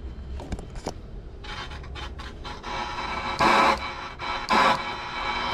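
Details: Home stereo rotary volume control that will not turn down all the way, before cleaning: irregular crackling and rasping bursts, loud as the knob turns and fading between turns, a dirty, scratchy volume potentiometer.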